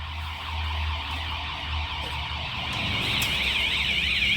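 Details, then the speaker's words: Kerui GD13 combustible LPG gas detector during a test, linked to a central alarm system: loud warbling siren sweeping up and down over steady hum, heard from the bedroom, kitchen and outside, keeps sounding until the sensor clears of gas. "ini sistem alarm saya di kamar juga bunyi yang di dapur juga kedengaran ya kedengaran cukup keras"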